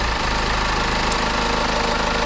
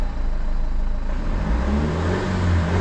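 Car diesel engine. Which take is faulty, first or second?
second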